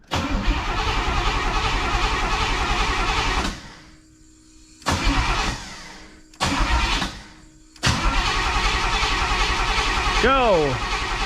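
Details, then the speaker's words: 1985 Pontiac Trans Am: starter cranks in repeated bursts but the engine never catches, a no-start from a fuel pump issue, with fuel leaking from the main feed line. "as you can see it cranks and cranks and cranks and doesn't start and that's due to a fuel pump issue"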